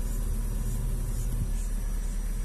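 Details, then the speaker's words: Car that would not crank, fixed by repairing the starter motor brush holder (battery was fine): key on, starts and idles smoothly with an even, deep hum, no knocking or grinding. "eu vou ligar a chave espera contabilizar né o módulo e agora eu tô a partidinha ó certo show de bola"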